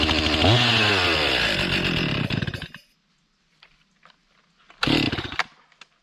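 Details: Stihl MS 261 C chainsaw runs a few seconds, sags and dies, fires briefly and stalls again, unable to hold an idle. It bogs and stalls even at idle; the owner suspected the tank vent, but cleaning it didn't last, cause unconfirmed.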